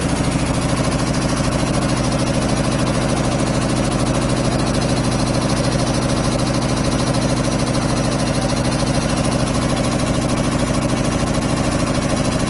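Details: 25 hp air compressor on single phase through a 25 kVA transformer, just started and pumping up (unloads about 145–150 psi, reloads about 115): steady rapid thump about three beats a second, deep even drone, no knock; normal loaded running.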